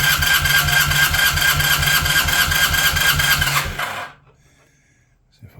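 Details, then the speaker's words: Honda CB400T Dream compression test, cranking on the starter at wide-open throttle: steady, even cranking at about two beats a second with no weak pulses. Readings were 120 and just over 115 psi; compression even. "okay so that one we have 120 and the other one was just over 115. there's only a few pounds difference so I'm basically happy with that"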